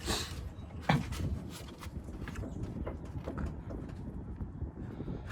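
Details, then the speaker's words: Duramax truck that developed a loud clunk from the suspension while driving. With the wheel in the air and the tire rocked by hand, dull knocks show play; the owner suspects looseness at the steering stabilizer mount. "this right here is loose i forgot what that's called but that's where the the steering stabilizer goes so this seems loose"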